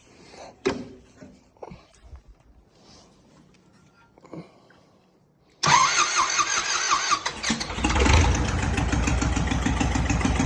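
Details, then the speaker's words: Belarus 525 4x4 loader tractor, not run in years, diesel: quiet handling noises, then a steady, even clatter with a brief rev; engine runs well with good oil pressure and stays cool, clutch won't engage. "the engine runs good hydraulics work the steering works it's making good oil pressure it's staying cool and um so that's a good start"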